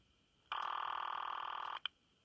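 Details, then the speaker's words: A C*NET call placed from a home PBX through a PAP2T ATA. One buzzy, warbling ring burst of about 1.25 seconds over a quiet line. This is a normal ringing signal generated electromechanically in Oregon. "so right now you're listening to rune signal that's being electromechanical generated in Oregon actually"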